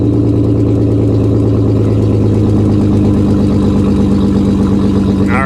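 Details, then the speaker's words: Vehicle at Copart, check engine light on, AC running: very loud, deep, steady drone at idle; cause not confirmed, yet it runs and drives. "she's a little on the loud side guys um we have a check engine light go figure it runs really really well"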